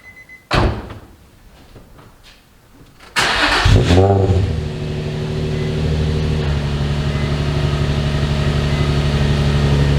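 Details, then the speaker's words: Nissan 350Z with VQ engine, warmed up, after the sagging exhaust was redone and the Y-pipe flex pipes replaced: it cranks, catches with a quick rev, then idles evenly with no ticking or puffing. The noise heard before the repair is gone. "Give it a little goose. There's the VQ mark. Good, I don't hear it."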